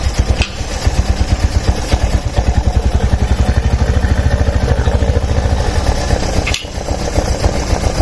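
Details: Small single-cylinder motorcycle engine just reassembled after combustion chamber cleaning and part replacement, first run with oil reaching the camshaft: even idle with regular firing pulses, no knocks; normal idle, sound slightly different during break-in.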